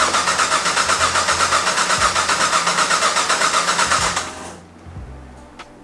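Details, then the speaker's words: Drift car with season-long crank sensor issues: starter spins the engine at an even four beats a second for about four seconds and it never fires; ECU diagnostic light seven shows red; cranks but won't start. "I am getting so fed up with this thing so as you can see the car won't start right now"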